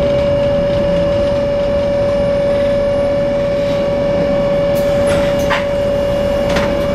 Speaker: צלילי מנוע בליווי שריקה רעש מנוע חריג לא טבעי